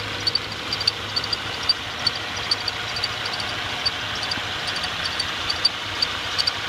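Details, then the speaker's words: 2014 Subaru Outback at 11,433 miles, recorded December 4, 2014, in the engine area. Short high-pitched chirps about once a second over a quiet, smooth idle; engine bay chirp, cause unknown. "attempting to record the chirping sound in my engine area."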